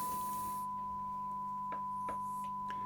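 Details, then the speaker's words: Late-1960s East German Vermona MV3 guitar tube amp under restoration, test tone through the power stage, speaker on floor: clean steady tone with low constant hum underneath, confirmed 100 Hz; hum cancellation not yet adjusted; mains hum. "Can you hear the hum? I want to know if that is 50 Hz or 100 Hz hum. Sounds like a 100 Hz hum to me."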